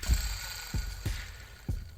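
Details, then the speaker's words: K 501 nitro RC clutch bell bearing, spun by hand after the engine was removed. A dry, gritty rattle with low knocks as it slows, with a wobbling clutch bell; the worn, dry bearing would likely lock up on another run. "alright so with this K 501 this bearing is shot well it's not shot but it's getting there like if I get another run it's gonna lock up on me"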